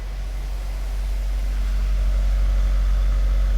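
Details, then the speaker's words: 2012 Fiat 500 that had a cylinder 2 misfire (P0202/P0302, injector open circuit) runs after the fix with a steady, smooth idle and no skips, though the light has not yet been cleared. "nice and smooth i have not cleared the light yet"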